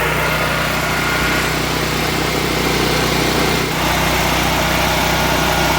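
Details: Firman H07553 9400W dual-fuel (gasoline/propane) generator, first start on gasoline via push-button electric start after oil fill: small single-cylinder engine holds a steady, even drone with no knocks or surging; healthy normal running.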